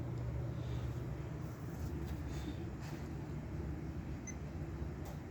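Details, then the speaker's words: Vintage Norcold mini fridge, believed to date to the 1960s, with a Fuji Electric compressor (tag about 20 V, 40 W, possibly DC, running on AC, possibly via a transformer): only a soft, steady low hum, almost silent once running; normal. "It's dead silent though. Once it gets going, you can barely hear it. That's impressive."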